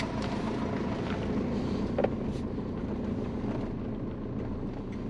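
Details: Twin-turbo Subaru Forester on warm-up after coolant was added and the computer updated: a low, even rumble with a steady beat and no misses, with wind and rain noise behind. Normal idle.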